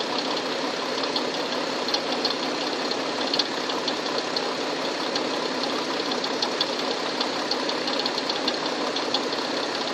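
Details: Tucson engine idling with a loud hiss and faint, uneven light knocking just audible. Engine knock, cause unknown.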